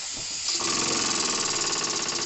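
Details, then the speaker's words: Renovated André Lecomte 5 cm3 live steam engine tested on compressed air at about 1.5–2 bar after full rebuild: quick even chuffing over constant air-leak hiss; seems to run both ways but has a tight spot, expected to wear in. "Là, j'ai un point dur. Je sais pas si c'est un point haut, point bas, mais en tout cas, j'ai un point dur."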